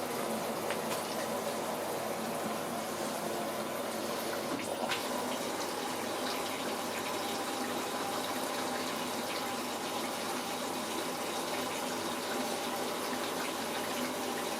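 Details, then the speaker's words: Waltham washing machine under repair for no heating and stopping mid-cycle, after the valve had earlier overfilled to overflowing. On a 90° program water pours steadily into the drum with no hammering or buzzing. Normal water fill. "Ça démarre on entend l'eau qui coule. Donc logiquement, ça va remplir un certain niveau et c'est censé s'arrêter."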